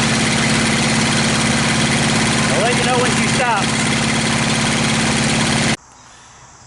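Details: Honda GX630 trailer pressure washer engine that stalls at full throttle: steady drone sags when trigger pulled, then cuts out abruptly; fuel delivery issue suspected. Engine bogs under load and stalls.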